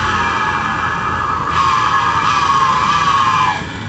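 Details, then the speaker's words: Honda Vario scooter, noise when pushed backward with wheel turning: whine near one kilohertz swelling then dropping, like an electric motor, louder when pressed; fault in the rear drive/pulley area, cause being located. "Suaranya kayak motor listrik masalahnya di dalam sini buka baut pakai kunci 39"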